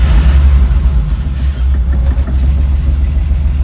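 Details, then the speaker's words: BMW E30 interference engine first start after timing belt, water pump and thermostat replacement; catches and settles into a deep, steady idle with no rattles or clatter, so timing is right and it runs normally. "There we go. It's running."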